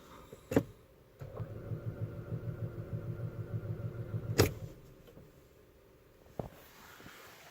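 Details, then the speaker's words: 2012 Audi Q5 with code P0016, EPC and engine lights on: starter turns the engine over in even pulses about three seconds, no firing; crank/cam sensor or stretched timing chain suspected, unconfirmed. "and when I press the start button you can tell the engine rotates"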